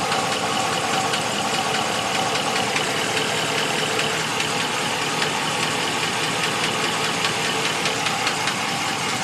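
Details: 2014 Ram 1500 at idle: a light, fairly regular tapping of about two or three per second over a steady idle, described as a valve train knock; top-end cause suspected, not confirmed.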